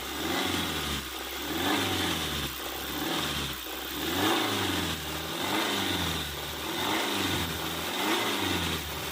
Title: Engine rattling noise #hyundaisonata DN8 2.5 #dismantle